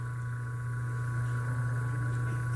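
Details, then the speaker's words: Motor (original run capacitor 25 µF) on a far-too-small 3 µF run capacitor: a steady, low, buzzy mains hum with no rise in speed, the motor barely turning over. Current stays high and only the auxiliary-winding current drops. "Mas olha o barulho dele, fica dando aquele barulho da oscilação da rede elétrica, fica roncando."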